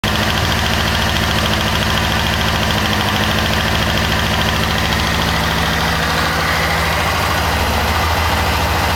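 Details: 1998 Kawasaki ZX6R at idle after a valve adjustment: a light, quick ticking that keeps pace with engine speed, seeming to come from the rear under the fuel tank rather than the cam chain area; cause unclear.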